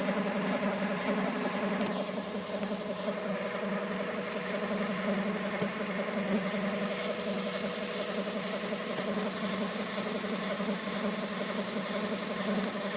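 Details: 2000 Honda Civic EX with rebuilt D16Y8 engine, mechanical timing appears dead on; uneven idle with thin high whine and faint irregular tapping up front, owner suspects cam pulley, timing tensioner or a bearing not rotating smoothly, unconfirmed.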